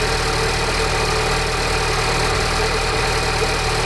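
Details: Peugeot RCZ THP 200 at cold start, with a constant metallic rattle over the idle; source still unidentified after a new tensioner, timing chain, sprockets and guides were fitted.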